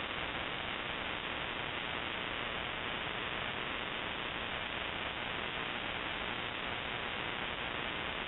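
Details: Shortwave ham radio receiver: constant flat hiss and buzz across whole band, no signals; broadband RFI persisting with house main breaker off, timed (off 7:31 pm, returns morning), grow light or powerline suspected.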